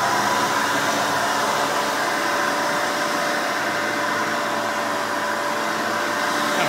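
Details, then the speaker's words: 1991 Hoover Elite 350 upright vacuum, model U4463-9, 5-amp motor, with a replacement side-zip bag: loud steady high-pitched whir with even airflow rush, no surging or rattles, quieter than 7-amp versions; runs normally and self-propels. "now typical elite fashion these things are pretty loud when they're running so headphone users i advise turning down your volume but one cool thing about the noise level since this is a lower amperage model it doesn't make as much noise compared to the seven amp counterparts"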